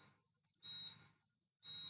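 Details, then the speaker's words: Fire alarm panel buzzer after reset, ATS8600 panel with ZP2 Modbus PAK: high, shrill beep about a third of a second long repeating roughly once a second after the panel resets. "and the panel has reset on this side you should be able to hear the beeping as well"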